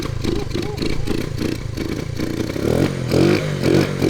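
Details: 1979 Honda CT90 90cc 4-speed, back on the road after 27 years, ignition coil intermittent: engine catches and settles into a quick even putter, then revs cleanly a few times with no knocks; running normally.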